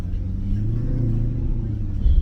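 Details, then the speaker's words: Maserati GranTurismo S with a check-engine warning, after tests: deep, even V8 burble with a throaty low rumble as revs rise briefly; the exotic sound is returning instead of the earlier hollow, pipe-like vibration. "Sounds really nice now. Look, it's got that little Do you hear it? Don't know if you can hear it, but it's got like a little like it's like a rumble."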